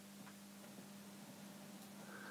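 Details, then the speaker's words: 1974 Sansui 881 stereo receiver at first power-on before restoration, volume down: a low, steady mains hum sits constantly under faint hiss through the speakers, never wavering; cause not yet known. "okay there so there's like a mains hum on the speakers mmm don't know if you can hear that on camera"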